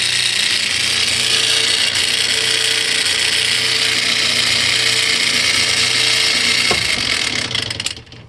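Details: Whirlpool washing machine, heard from the bottom: harsh steady drill-like whirring and grinding instead of spinning; coupler and belt look good, cause unknown.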